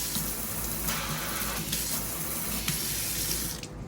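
Steady, even rush of water from the tap with no sputter, hiss or drip; the new faucet flows cleanly and is healthy.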